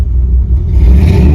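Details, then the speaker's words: 1975 Ford F-100 V8 after replacing a worn carburetor that caused a misfire: deep rumble climbing smoothly through the revs with no hesitation, stutter, popping or misfire; new carburetor working well. "RPM I don't know how well you guys could tell on the video but there was no hesitation um absolutely no stuttering uh there was no misfire or anything like that so this carburetor is working well"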